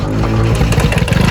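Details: Engine at idle: heavy, loud clatter with hard knocks repeating several times a second; internal knock, cause not yet pinned down.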